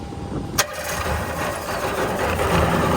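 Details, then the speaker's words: Sea-Doo XP with Rotax 657, first start after about 15 years unused, carbs primed with sprayed petrol: sharp crack, then runs noisy and uneven without smoothing; fuel system suspected, needs cleaning. "it's not running the cleanest but I guess we'll just have to clean the fuel system instead of plugs"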